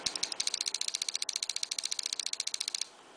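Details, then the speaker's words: Paintball marker with a Frenzy board that will not program properly, eyes off; sharp, even clicks in a fast string of roughly 15-16 shots per second for nearly three seconds, rate uncertain. "that to me sounds around 15-16 i can't be sure um because i don't know what the value it is"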